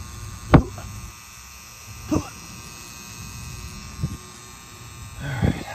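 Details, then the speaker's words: Condenser: constant low electrical hum with faint sizzle and sharp clicks; contactor buzzing when pulled in, contactor replaced afterward. "hear that humming it's like a sizzling sound it's like they're at sizzler cooking a steak or a little grill"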